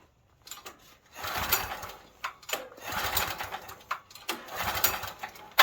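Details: Stanley 8000 W generator bought used and left sitting four years, pull start with choke: three rough recoil pulls about a second apart, spinning briefly but never catching, cranking but no start; owner suspects a stuck float, not confirmed.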